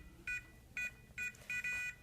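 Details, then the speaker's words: Liberty safe with electronic keypad lock: entering an incorrect code gives three short beeps and the safe won't open. "you can hear beeps three times beep beep beep and that means that is the incorrect code and it won't open safe"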